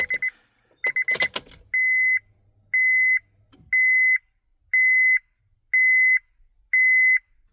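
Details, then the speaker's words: 2004 Honda Civic, key on: steady high beep about once a second, six times. It is the seat belt warning from a dirty buckle switch that needs cleaning, and the beep stops when the switch is pressed. "that distinctive beep tone is that switch"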